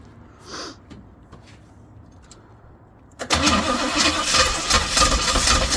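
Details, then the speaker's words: Pink Jeep, choke not wired and radiator bubbling coolant: engine catches, then runs with an uneven, lumpy beat and surging bursts instead of a settled idle. Rough running; possible flooding suspected, and it has never run well. "yeah I know this thing's never really ran that good"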